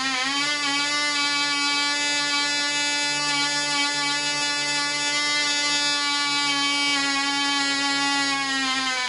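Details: Black Widow mouse-racer glow engine, first run after polished crank bearings, fitted cylinder/piston, high-compression head, 5x3 prop, 24% nitromethane, needle three turns out: steady high buzzing whine without surging; deliberately rich mixture.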